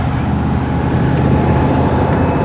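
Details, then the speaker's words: V8 workshop car before engine, ignition and carburetor upgrades: rough uneven idle with lumpy beat and occasional stumble; misfire, suspected worn camshaft and definitely low ignition output. "so it's got a little bit of a misfire. It's not exactly a smooth V8. Most likely got a worn camshaft, definitely got a low ignition output."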